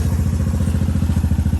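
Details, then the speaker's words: Honda Fourtrax 200 Type 2 ATV, about a 1990 model, single cylinder at steady idle after being serviced: crisp even beat with no clatter or misfire, judged good enough to run the season with a little fine tuning left; normal running. "I'd say that thing's good enough to run this season. Could always use a little bit of fine tuning here and there, I know, but running out pretty good."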